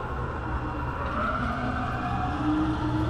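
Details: Tormach CNC mill Y axis during traverse, with Z and X sounding normal: a steady, rough, gritty grinding with no clean tone from the worn ball screw, which needs replacement.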